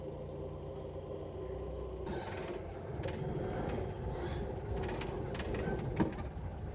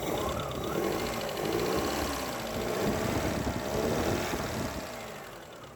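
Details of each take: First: 1970 Hindustan Ambassador Mark 2 petrol, rebuilt engine with about 140 km, cold start after a week, held at slightly raised rpm for oil pressure; an even drone with some clatter. Normal cold idle; piston wear and the carb are suspected for cold sluggishness. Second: 1970 Hindustan Ambassador Mark 2 petrol, rebuilt engine about 140 km, warmed up and revving: loose rapid ticking and puffing tracking engine speed, attributed to an exhaust leak somewhere.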